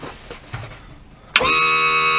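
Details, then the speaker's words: Lakota horse trailer Bigfoot hydraulic landing gear, retracted after repair: a few quiet knocks, then a steady, even pump motor whine that holds. Normal, smooth hydraulic retraction. "We'll extend it up some more, about like what we found it, and retract it. See if it sounds better when it retracts."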